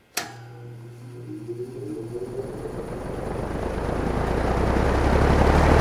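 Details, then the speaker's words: Markel box fan restored with new egg-crate front grille, heard from the back: motor hums on, then a rising whir and building rush of air as blades spin up from off to high; clean, healthy startup. "let you hear the startup sound from the back because i do think and spatsbear agrees this is one of the coolest startup sounds ever here we go okay here is the startup sound from off to high"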